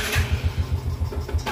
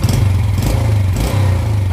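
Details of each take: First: Yamaha Jupiter Z: after a sharp throttle blip and release, a few heavy slowing thumps, then it stalls. It is weak on climbs; the cause is severely weakened compression, suspected leaking exhaust valves. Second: Yamaha Jupiter Z after repair of weak power and idle stalling: light quick throttle blips rev up cleanly and drop back smoothly with no bogging. Before the repair it felt held back when revved and died at idle; throttle response is now normal.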